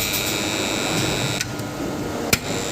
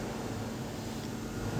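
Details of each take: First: BCH DOL motor starter for a 3-phase induction motor working but noisy: loud harsh electrical buzz with sharp high tones and clicks, contactor magnet hum and chatter. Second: BCH DOL starter contactor on a three-phase supply, energized after its noise was cured by cleaning carbon off the contactor plates: nearly silent, with only faint room hum and no buzz or chatter.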